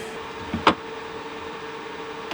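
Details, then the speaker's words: Mars Pro resin 3D printer: over a steady low motor hum, a sharp crack and then a fainter pop as the FEP film sticks to the screen glass before releasing. The FEP is damaged and leaking resin around its edges. "if you hear this noise what's probably happening is that your fep is getting stuck to the glass before releasing the resin model"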